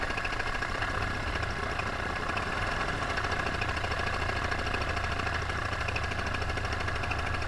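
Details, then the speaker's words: Paramotor engine with under an hour of flying time, in flight on a full tank, throttle held wide open: a flat-out buzz holding one steady pitch with no dips or surges. This is healthy full-throttle running before the later power loss and engine failure. "And I'm keeping my throttle all the way open. And you hear the RPMs, they're staying steady."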